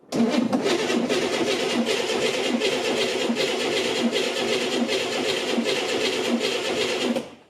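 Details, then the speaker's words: Chevrolet Corvair engine, cranking after reinstalling it: steady even cranking with no grinding or drag after an earlier struggling attempt; electrical smoke appeared afterward, starter suspected. "And now it's alright, but That's what it's meant to sound like."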